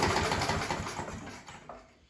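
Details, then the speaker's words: Scott Bonnar mower, Briggs & Stratton Sprint 375 4-stroke, after fitting a recycled primer bulb, throttle set mid-way (throttle faulty): catches and runs rough for a moment, then fades and dies within two seconds; stalling from a faulty spark plug. "So there you go, folks. Put that recycled primer bulb, gave it a pull and actually managed to get it run there, but then it did conk out."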